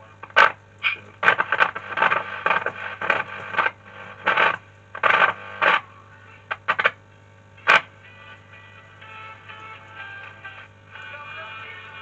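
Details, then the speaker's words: British TRF valve radio based on a US design, working after a resistor and capacitor repair: it plays in bursts over a steady low mains hum; owner suspects a failed capacitor or a valve, possibly the EL4, unconfirmed. "First of all, that buzzing noise is probably this capacitor here. They do go, so it's probably gone in this one."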